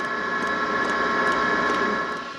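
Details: Camper van diesel heater fuel pump priming after line bleeding with a vacuum pump, fuel visibly climbing the line; sharp light ticks roughly twice a second over a steady fan hum, new pump pulsing normally.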